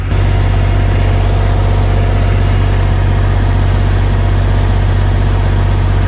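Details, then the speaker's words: Newly acquired used diesel generator for a bus conversion, started after upgrading battery cabling, idling with no load: steady, even low rumble with smooth regular beat, no knocks or misses; very quiet. "wow that thing is quiet but i'm sure you can hear me okay that's the quietest generator i have ever had and it's it's a low rumble"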